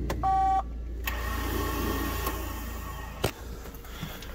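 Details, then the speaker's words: BMW E39 first start after new clutch install, boosted battery: brief chime then a steady high whir with no cranking rhythm; starter spinning without engaging the flywheel because the starter solenoid was frozen. "well that's not good sounds like it's not even engaging the flywheel listen"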